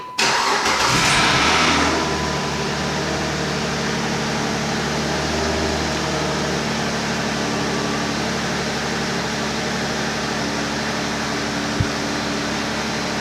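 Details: 2008 Chrysler 300 2.7L V6, cold start after misfire repair with fuel lines re-primed: engine catches quickly, revs up briefly, then settles to a steady, even high cold idle stepping down with no stumble or miss; normal start and idle.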